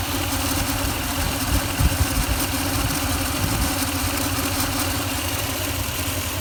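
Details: 2004 Toyota Tundra idling after fan bearing replacement and timing belt change: steady, even low rumble with no knocks, ticks or bearing growl; sounds better than before, when it was louder.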